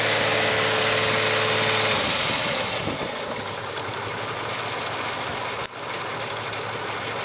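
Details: 2001 VW Jetta GLS 12-valve VR6 idling around 750 rpm, then revved: the idle turns into an uneven, chuffing beat with an irregular stumble from misfiring cylinders.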